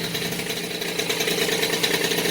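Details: Rebuilt Peugeot 103 RCX moped two-stroke, first start after reassembly, carburetor not yet tuned: buzzy, even idle with steady high rasp, no knocks or stumbling; runs clean with choke off.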